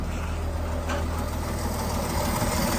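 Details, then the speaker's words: Dodge D5N truck with 245 Hemi, first running after sitting 5 years: steady idle with a light, fast tapping from the front of the engine, which the owner puts down to everything still being a bit dry. "It's a little bit tappy at the front because everything's a bit dry still."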